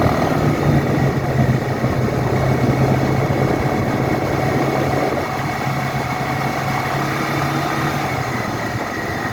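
Engine drones steadily with a loose, uneven knock riding over it, tracking the revs; a knocking fault, source not pinned down.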